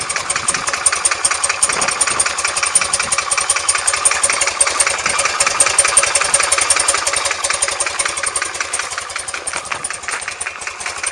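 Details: R100S engine about 500 km after a rebuild, with heads retorqued and rockers and rocker side play adjusted: sharp tapping of about two to three per second on the left side when cold, gone when warm; piston pins and con-rod bushings later found fine.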